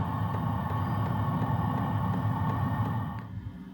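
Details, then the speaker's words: Diesel heater in a Palomino HS2901 camper starting from cold (31°F inside, 26°F outside): low fan rumble with a faint, regular fuel pump tick about three times a second, heard only at startup; normal. "So this is the only time you hear the ticking of the fuel pump is when it's first turning on."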